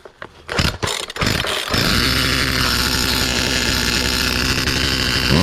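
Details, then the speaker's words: Poulan 2450 2.3 cu in chainsaw with 18" bar, first start after refit, throttle wide open: rough cranking pulls, then buzzy high revving with a faint loose rattle, like something rolling around inside. Owner suspects the recoil; not confirmed. "sounds like something's in there rolling around now let's take it apart again but it started so that's a win"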